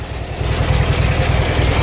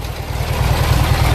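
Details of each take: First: Junkyard Briggs & Stratton opposed-twin engine, revived, idling on both cylinders: deep lumpy idle with a gritty churning roughness under the firing beat; owner suspects the attached transmission, source unconfirmed. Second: Junkyard Briggs & Stratton opposed-twin engine with a breather oil issue: quick even low thumping at idle on both cylinders, no misses, running smoothly.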